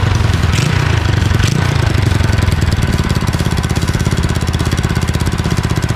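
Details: Honda Chaly minibike, first start in two years after rebuild and throttle cable fitted, run from spare petrol tank: quick even single-cylinder putter with small rev blip then steady beat; normal idle.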